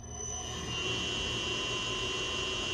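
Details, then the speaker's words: Haas VF-3 mill retrofitted with a VFD: a loud steady high-pitched motor whine over a soft rush; the drive came set from the factory at 50 Hz, and the base frequency setting is suspected. "hear that? That whining is making a lot of noise. I'll show you why."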